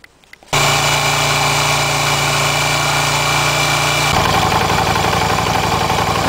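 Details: Yamaha Virago 250 with compression at 150 and slightly loose valves: the vacuum gauge swings widely at idle, and a sticking valve or weak valve spring is suspected; the engine catches into a busy, uneven idle with a wavering beat and clatter, a rough idle.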